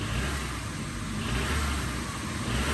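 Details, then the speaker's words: Vauxhall Astra saved from scrapyard, with a previously found loose timing chain, after repair (one bolt still missing): revs rise and fall cleanly with none of the earlier exhaust rattling noise; engine sounds healthy, fix worked. "If it makes that horrible kind of exhaustly rattling noise, then we have failed. Oh my god, it's not doing it."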